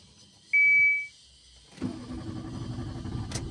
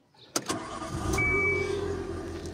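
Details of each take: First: Nissan March K12 hard to start: short chime then several seconds of steady starter cranking without clean firing; diagnosis found fuel pump giving only 1 bar instead of 3.5 bar at injectors; fixed by replacing fuel pump; hard start from low fuel pressure. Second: Nissan March K12 after fuel pump replacement (old pump gave only 1 bar of the required 3.5 bar, causing no-start and stalling): short crank, catches at once and settles into a smooth, steady idle.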